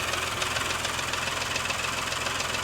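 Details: Porsche Macan S after timing chain and tensioner replacement, started with no fans: light, rapid metallic knocking returns over a steady idle once off fast idle; piston slap.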